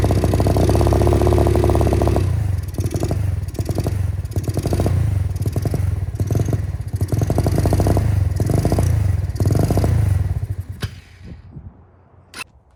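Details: MotoBravo Roma150 scooter-engined motorcycle, free with no history, being reassembled with what the owner thinks is an automatic choke: small single idles with a steady thump, picks up through a few blips, then shut off; runs cleanly, no misfires.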